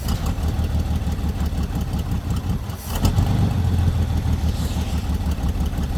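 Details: Lowrider V8 after fixing an oil leak from the dipstick: deep, steady idle with an even low rumble and a slight lift midway, settling quicker than before; normal idle.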